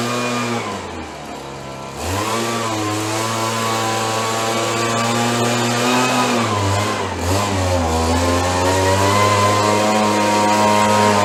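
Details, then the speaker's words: Roughly 30-year-old Stihl BG72 two-stroke gas blower, warmed up on the starting bench after repair: a smooth, even buzz climbing steadily with throttle, with no stumbles or misses. It started rough on choke but runs normally when warm. "Runs much better when it warms up."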